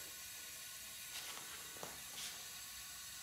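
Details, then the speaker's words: Leak-down test on a smoking John Deere zero-turn mower's Briggs & Stratton engine at 30 psi: faint steady hiss of slight leakage past the intake valve, within acceptable range. "and a little bit there but as you can see it's really within within range when you got 30 psi in there"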